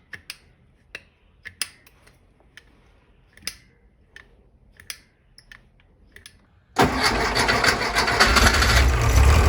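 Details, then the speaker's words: 1964 Karmann Ghia air-cooled 1600 engine that won't idle below 1500 rpm and stalls, heard after a linkage modification to clear the alternator: a steady hiss over the rumble, later traced to a warped carb base and manifold, plus an alternator rattle. "yeah linkage issue solved but I can hear a vacuum leak somewhere as well as a [Music] rattle"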